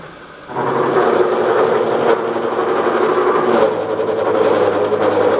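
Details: Mill with a dull shell mill skimming aluminium marine clips: steady cutting roar as the motor drags and strains, close to bogging; switching to low gear with higher motor speed, and the cutter needs sharpening.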